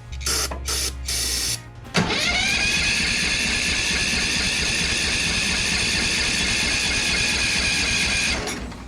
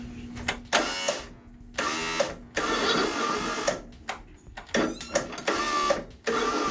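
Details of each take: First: Craftsman ZTS7500 zero-turn, Kohler Courage engine, just after valve adjustment; steady fast starter whir for several seconds, spinning evenly with compression, much improved but not firing up. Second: Craftsman ZTS7500 zero-turn, Kohler Courage engine, fresh batteries, cleaned connections, jumper battery, starter lubed; short bursts of high free-spinning starter whir stopping and restarting, engine not turning; starter spinning without engaging, cause unknown.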